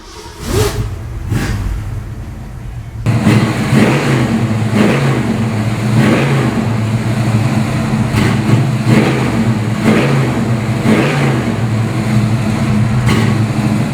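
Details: Restored 1965 Ford Mustang Fastback GT, A-code 289 V8 225hp, freshly rebuilt engine, dual GT exhaust, 4-speed top loader: starter cranks, catches into deep lumpy burble with crisp throttle blips; runs strong, even, healthy.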